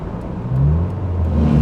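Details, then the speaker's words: 1995 Ford Probe on a long road trip, temperature rising, something getting hot: engine drone climbs and holds high with no matching pull, revs flaring; transmission slipping, suspected lost transmission. "all right well we may have just lost it yeah we may have just lost our transmission oh this is bad"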